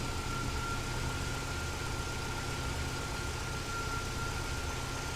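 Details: 2005 Vauxhall Astra G 1.6 twin-port (X16XEP) with multiple fault codes, low power and continuously running fans: the idle is lumpy and uneven, with an irregular low thrum and a faint steady whine. A sensor was replaced, but the cause is still unresolved.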